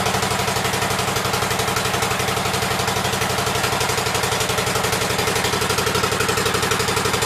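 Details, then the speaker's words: 1884 Cub Cadet twin-cylinder engine after fitting a new coil and setting its gap, shroud on, air filter off: fast, even chuffing at steady speed with no misses; both cylinders firing, running well. "seems like it's running good."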